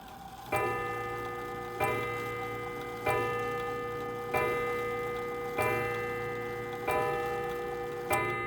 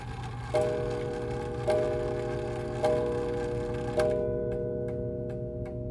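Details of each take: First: 1904 Gilbert "Congo" 8-day antique mantel clock, as bought before overhaul: seven harsh, clanky, ringing gong strikes at the hour, about 1.3 s apart; worn leather tip on the strike hammer looks like it's seen better days, to be checked. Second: 1904 Gilbert "Congo" 8-day mantel clock after overhaul: four clean, evenly spaced hour chimes about a second apart with no buzz or rattle; sounds much better than the strike before restoration.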